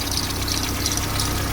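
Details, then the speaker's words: VW AP engine (Gol/Parati/Voyage/Saveiro) idling with a light, fluttering high-pitched chatter over the steady beat; the belt noise was traced to a worn belt tensioner. "Tá aí o causador do barulho da correia do motor. Tava muito feio. Isso aqui chama tensor"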